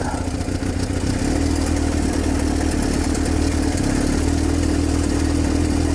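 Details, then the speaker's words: Used salvage-title motorcycle with almost 10k miles, cold start on choke after sitting about two months with stabilized fuel, kickstand up: starts right up into a steady, fast idle with an even low drone and slight mechanical clatter. "Look at that. Start right up. I don't know whether to take the choke off or not."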